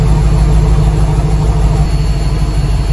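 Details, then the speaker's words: 2004 Dodge Ram 1500 Hemi 5.7 V8 with stock muffler and resonator, before muffler and resonator delete: deep, even, muffled rumble with steady beat, no knocks or rattles, quiet enough to sound like a four-cylinder; normal idle. "so it's a dodge ram hemi 2004 5.7 but it doesn't sound like a truck so it's going to start the car so you can hear it all right it's going to start the truck so as you can see sounds like a four-cylinder"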